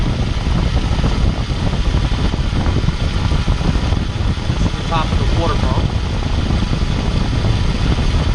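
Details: Accessory-drive whine diagnosis with mechanic's stethoscope, probe on the water pump: only a soft, even engine hum, no whine or grinding; pump bearing quiet and fine, unlike the noisy power steering pump pulley.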